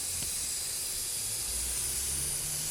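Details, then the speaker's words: Porsche that would not start: compressed air fed into a vacuum line gives a steady, sharp hiss of air escaping at a loose hose connector at the back, just past a spark plug. Vacuum leak found; tightening the connector is hoped to fix starting. "Airline up to one of the vacuum lines on the engine how well you'll hear that missing now here where it's leaking from when it's under pressure and we have a vacuum leak right at the back here"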